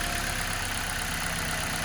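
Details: Toyota Corolla, check engine light on, weak with small cut-outs and high fuel use: uneven, lumpy idle with a stumbling beat; unplugging one cylinder's coil changes nothing, so that cylinder is dead.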